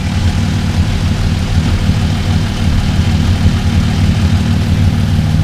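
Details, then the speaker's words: Mk1 VW Caddy V6 4motion first start after build, 3.5-inch straight pipe with silencer: deep, even V6 rumble at steady idle, no misses, ticks or rattles, quieter than expected; engine sounds smooth and healthy. "I was expecting to be consumed or outer because it's a three and a half inch straight pipe put a silencer on it but that sound quite nice I must admit that's my nice engines quiet"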